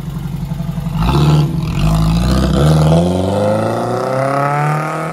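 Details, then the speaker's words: Ford Anglia revving after fitting a Weber carburettor, with a rear main seal oil leak noted; smooth strong revving, pitch climbing cleanly, no knocks or misses, running healthy like a race car. "sounds like a race car that's pretty cool"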